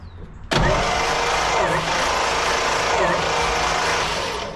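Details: 1956 GMC 630 truck 503 straight six, compression 70–110 psi across cylinders: starter spins it evenly and steadily for about four seconds, no lazy or uneven strokes; compression sounds healthy.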